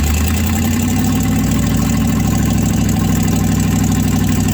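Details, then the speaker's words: 1967 Chevrolet C50 V8 after about nine years parked, passenger-side exhaust donut missing: low, uneven, lumpy wavering idle that keeps quitting; rough idle. "i don't know why the thing don't want to idle"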